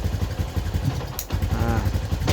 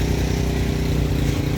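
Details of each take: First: 2011/2012 Yamaha Jupiter MX New 135, owner complains of weak power, bad stutter at throttle opening, high fuel use: single-cylinder thump stumbles and nearly dies on sharp throttle, fine when gentle; mechanic suspects original CDI, typical on bikes over 5 years. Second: Yamaha Jupiter MX New 135 (2011 or 2012) single-cylinder at idle after replacing the CDI unit, following complaints of severe hesitation and bogging on initial throttle, low power and high fuel use: quick, even, steady idle with no stumbles or misfires; normal idle.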